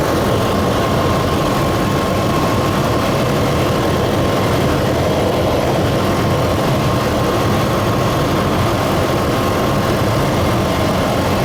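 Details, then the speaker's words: Truck engine, still warm, at steady low idle running a little rough with a faint uneven lope and a thin hiss on top; a vacuum leak is suspected, and it previously rose to 2000 rpm when first started. "but you see it's having trouble idling what it was doing before is it would go all the way up to 2000 rpm when i first started could be two because the engine's still warm maybe it only does that on a cold engine it's running a little rough too"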